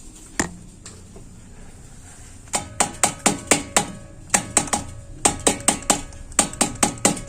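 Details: Gas water heater (LPG) after cleaning a sticking membrane: sharp bright evenly spaced igniter ticks in bursts about four per second; igniter sparking normally and burner lights at once.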